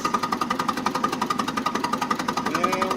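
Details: Mitsubishi GCS25 engine with extreme low power, crank and compression test: engine cranks over in a steady but lumpy, hollow, uneven beat, about four pulses a second; low compression suspected in cylinders two and three.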